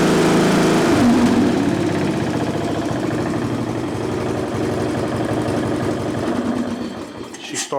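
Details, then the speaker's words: Craftsman LT1000 riding mower, sat outside for years, after carburetor reinstalled and anti-backfire fuel shutoff valve plugged in: catches and settles into an even small-engine beat, steady pitch, no stumbling or knocking; normal running. "right up just like that so that's all the issue was after I put the carburetor back on so the engine's taken care of"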